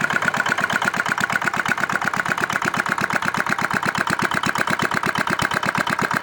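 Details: R180 single-cylinder diesel whose bearings kept failing; a new part was fitted, atomization checked good, then the engine was started. Steady, even idle chuffing with evenly spaced beats and no knock or miss; sounds healthy.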